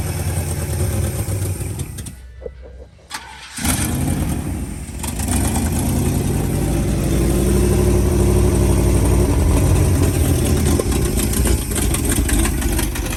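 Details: 1980 International Scout II engine, previously seized, now fed fuel by hand after first fire-ups: it catches after a stumble, then settles into a steady, even beat, firing in the right order; carburetor is puking fuel.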